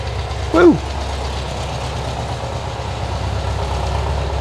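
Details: 1972 VW Bus air-cooled engine, carburetor leak fixed, with a massive oil leak and thin overfull oil: brief chirp as it fires, then a steady lumpy idle with no stalling or missing; oil light off, warm-ish, smoke puffing out, owner hopes it's leftover exhaust residue.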